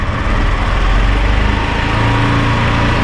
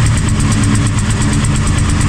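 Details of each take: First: 2019 Italika DS 150-G motorcycle, after a new carburetor replaced a rich one that caused black smoke, misfiring and a carbonized plug: steady single-cylinder drone, revs climbing smoothly and evenly with no stumbling; runs healthy, no black smoke. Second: 2019 Italika DS 150-G motorcycle, semi-new: uneven, lumpy single-cylinder idle with a stumbling low beat and black smoke, fault persisting after carburettor refit; running rich from carburation, carburettor with 112 jet suspected not original to this bike.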